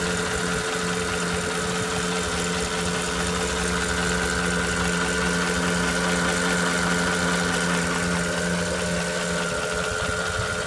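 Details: 2008 Porsche Cayenne Turbo (957) 4.8L V8 idling steadily with a light, fairly regular tick through the engine hum. The owner wonders whether it is piston slap.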